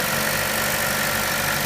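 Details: 2013 Chevrolet Cruze Eco petrol engine at steady idle with a fine, quick ticking over the engine note; the dealer says this clicking noise is normal.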